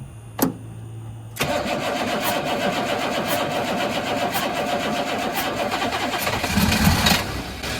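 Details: 1983 Chevrolet squarebody 6.2 diesel, sitting for years, fuel shutoff valve reinstalled; starter churns steadily for several seconds but never catches while air is bled from injector lines; long crank no start, air in fuel lines.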